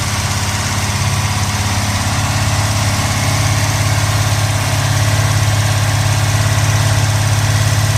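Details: 1970 Pontiac Trans Am Ram Air III, 469ci stroker on pump gas: ported Edelbrock aluminum heads, Lunati hydraulic roller cam (231/239, 110 LSA), 10.5:1 compression, freshly built. Deep, loping V8 idle with a steady, even pulse and no knocks or ticks. Normal idle.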